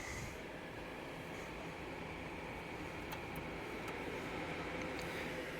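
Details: Nvidia Quadro M4000 test PC, one Hall of Fame GTX 980 Ti card running: steady even airy whoosh with a faint high whistle, no ticking or rattle; graphics card fans spinning hard and sounding healthy.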